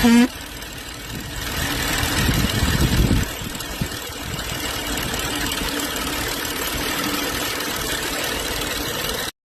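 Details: BMW X5 N55 after valve-cover PCV repair with new membrane and spring fitted: engine fires up and settles into a steady, smooth idle with no odd knocks or hissing; normal idle.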